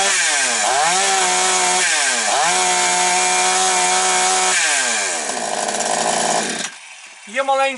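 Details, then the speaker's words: Chainsaw blipped to full throttle several times: top revs waver and surge slightly instead of holding, fuel delivery not quite crisp, blamed on a worn carburetor needle lever; carburetor still to be checked. "Ну, але то таке вже чуть-чуть на максимальних підгулює, тобто порція палива трошечки не чіткає."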